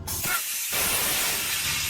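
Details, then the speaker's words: Trailer air brake stroke check for DOT inspection, tape measure on the pushrod: sharp burst of air then steady hiss as brakes apply, a normal application; about 1 3/4 inch stroke, within spec. "so you just hold your tape measure up against there and this one is at 11 8 and then you apply the brakes there we go and you can see where it come out to it is 12 and three-quarter"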